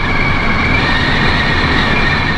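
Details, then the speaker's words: Pössl camper van, driving from about 65 km/h: steady high whistle over road rumble from the front Midi-Heki roof skylight, before adding a seal strip to its front edge. "das ist furchtbar das möchte man nicht ertragen wir haben uns auf der Fahrt angeschrien"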